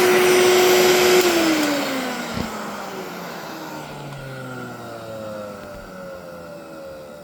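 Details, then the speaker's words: Mid-to-late-1980s Electrolux 2100 canister vacuum, hose removed: loud, harsh high motor whine dropping in pitch as it spins down; owner unsure if motor is failing or a louder replacement. "But the vacuum, I don't know. It don't sound too hot in my opinion."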